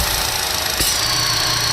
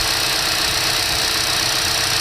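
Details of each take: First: 2012 Chevy Cruze 1.4 L, failed PCV valve in the valve cover, engine warming up: steady airy hiss with a faint high whistle over a low idle hum from vacuum being pulled, causing surging idle and hesitation on acceleration. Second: 2012 Chevy Cruze 1.4 L petrol engine idling after repair of the PCV valve built into the valve cover; an even, steady hum with no hiss or stumble, holding smoothly with no air leak.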